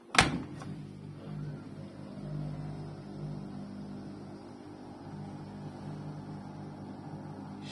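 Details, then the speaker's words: Arçelik 6343 dishwasher, switched off with door closed: door thud then low steady "vuuuv" hum that stops when door opens and returns when closed, nothing running, persists after cleaning; source not yet identified. "Kapa kapak kapalı olduğu halde eee ses geliyor. Herhangi bir şey de çalışmıyor ama kapağı açınca ses gidiyor."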